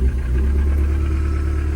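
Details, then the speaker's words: Swapped-in replacement engine in a right-hand-drive JDM import, first start: rough, heavy low rumble with an uneven knock underneath, smoking heavily and smelling of oil; engine believed blown. "So it looks like this engine that we swapped in is also no good. It's smoking like crazy, it smells like oil, and I'm getting a little bit of a knock"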